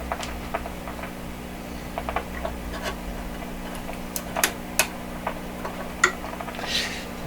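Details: 1929 Victor RE-45 tube radio with a third #27 detector tube fitted. Irregular sharp crackles and pops over a steady mains hum; the noise stops when the tube is pulled and is suspected to come from inside a component on B+.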